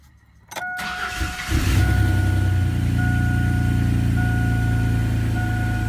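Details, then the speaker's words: 2001 Chevy S10 crew cab 4x4 with freshly swapped replacement engine, around third start, good oil pressure: quick crank, catches into steady even low idle with no knocks or misses; sounds solid and tight. "she runs good so not bad at all let me get out of here yeah real hoppy real real happy motor sounds nice and solid and tight"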